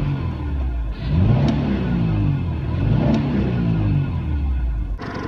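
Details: 1996 Subaru Outback, engine a little warm, revved: pitch rises and falls smoothly with a steady even note; engine sounds healthy.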